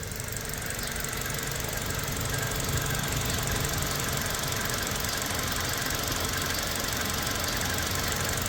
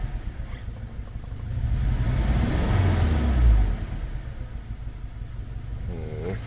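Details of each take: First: Toyota Fortuner 2.7 L petrol (likely 2TR) on LPG after repairing the rat-chewed cylinder 2 injector wire: an even, settled idle with a steady exhaust rhythm and no stumbling or misses. The misfire is fixed. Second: Toyota Fortuner petrol (possibly 2TR) with LPG, revving on gas: uneven, faltering climb with rough low pulsing, stumbles on both gas and petrol, no warning light; cylinder 2 not working, injector wiring chewed by rats.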